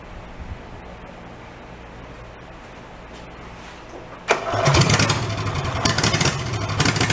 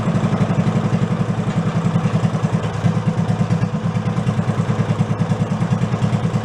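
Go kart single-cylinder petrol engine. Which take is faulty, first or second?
second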